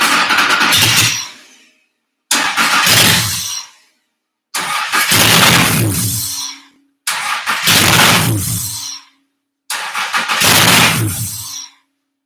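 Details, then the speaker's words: Honda J-swapped Porsche 914, first start attempt after overfilling the sump and priming the oil cooler: five two-second cranking bursts where the engine spins but never catches; owner suspects something missing in the ECU is stopping it from starting. "wants to wants to don't know what's going on probably i had to guess something's missing in ecu it's probably telling it to not uh not totally kick over"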